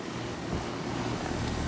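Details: Tempstar ICP ton-and-a-half R-22 AC condensing unit back running after bad capacitor fix and refrigerant added: steady low hum with even fan rush, running normally.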